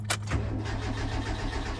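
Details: 1949 Armstrong Siddeley Lancaster, first start attempt in about a year on a battery pack: starter churns the engine at a steady low rumble but it never catches; cranks without starting, cause not identified.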